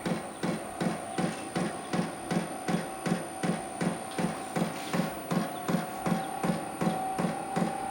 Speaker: oh now I hear it hear it Knocking so now must be pumping diesel to it